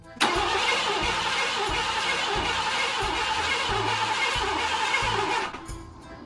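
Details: A 1990 Ford Mustang V8 Fox Body convertible cranks with a steady starter churn of about three per second for five seconds and never catches. This follows new plugs, coils, fuel injectors, serpentine belt, fuel filter, gas tank, filler neck, oil and oil pan gasket. The cause is unconfirmed.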